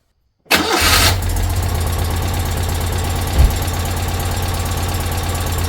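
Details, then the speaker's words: Citroën 2CV flat-twin, just after oil change and valve clearance adjustment, oil pressure built and level checked; catches at once into a steady, even low idle, no knocks or misses; running up to temperature to check rocker cover leaks. Normal idle. "that's sweet lovely I think we'll just um run up temperature make sure there's no leaks from either of the rocker covers"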